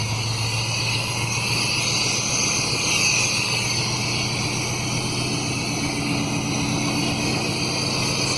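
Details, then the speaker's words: 1991 Chevy 1500 5.7 V8 just started after distributor timing adjustment: raw, loud rumble with a hissy top end; apparently no muffler, and the hiss, sounding like a vacuum leak, is likely the missing air cleaner. "I don't think there's any any muffler on this thing"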